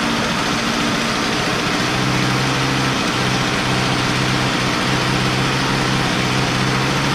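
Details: Poulan Pro P3416 34cc 16-inch chainsaw, abandoned, revived with new Champion plug and idle screw adjustment; plug gap likely too closed: steady, even two-stroke drone, constant pitch, no stumbles; running smoothly.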